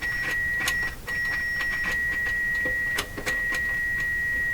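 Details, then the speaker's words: Eddystone S770R VHF receiver tuned to 21.5 on a signal generator after switch cleaning: a steady high whistle holds one pitch, cuts out briefly twice, with faint clicks; the tone is unexplained and its cause is unconfirmed. "Not quite sure why it sounds like that. Why are you sounding like that?"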